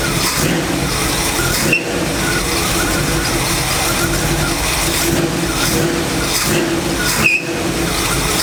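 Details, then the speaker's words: Engine running during a test for a cracked flexplate: steady harsh rushing tone with a couple of sharp catches near the flexplate/bellhousing. A new noise of unclear cause; torque converter and flexplate were earlier suspected of touching. "now that that rigidity is gone it makes a different kind of sound because this is i'm hearing something totally different"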